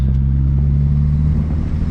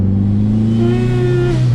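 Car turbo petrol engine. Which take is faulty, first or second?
second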